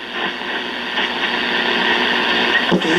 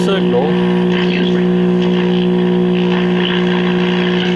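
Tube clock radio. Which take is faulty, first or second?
second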